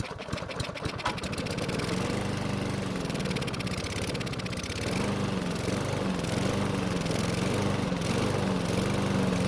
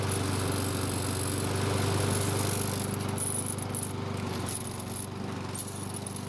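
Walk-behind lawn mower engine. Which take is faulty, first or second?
first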